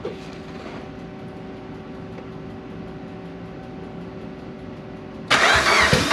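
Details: Engine starting after almost 10 years of storage and 2 years of work: thin steady whine for five seconds, then it cranks and catches abruptly into a loud, strong idle; normal clean start.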